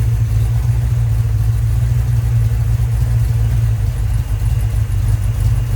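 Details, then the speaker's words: Rebuilt 1990 Mopar 318 small-block V8 from a D150 truck (Comp special-grind cam, Air Gap Magnum intake, new Rock Auto parts), first run, warm at about 175°F, 15° initial and 33° total timing; smooth, even low rumble like a sewing machine, no misses, knocks or ticking. "Smooth as butter. Well, we're up to temp, like 175-ish. It just sets and runs like a little sewing machine here."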